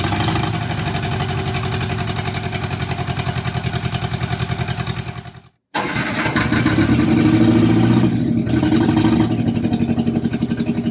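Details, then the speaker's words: Barn-find bug-eye Sprite, stored 30-40 years, first run with only exhaust manifold fitted: loud fast unsilenced pulses, abrupt cut-out because vibration shook the temporary battery-to-ignition lead off, then restarts and runs. "i'm not sure why i shut off oh it shook my lead to the ignition off that's why it shut down"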